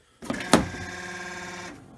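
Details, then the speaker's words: 2017 Kia Sedona left driver-side power sliding door: sharp clunk, then strained motor buzz at one pitch for about 1.5 seconds as the actuator intermittently jams and fails to flip the unlock lever; actuator (part 81440-A9511) replaced. "so again that all that sounds coming from this device it intermittently will not flip flip this lever"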